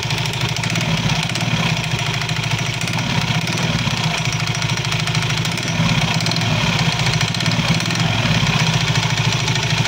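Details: Soul GT 115 scooter at idle: a loose uneven klotok-klotok clatter over the engine beat, coming from the CVT belt-drive side. Usually caused by looseness or wear in certain CVT parts; cause suspected, to be checked.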